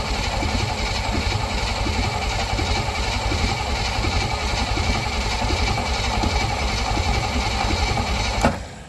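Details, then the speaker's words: Willys CJ5 (around 1971) with AMC 304, sat for years, gas poured down the carb: several seconds of uneven starter churning with no firing, fuel smell at exhaust; cranks but won't start, spark not yet confirmed. "so I smell I definitely smell stuff coming out of the exhaust it's probably because everything's Lighting on fire"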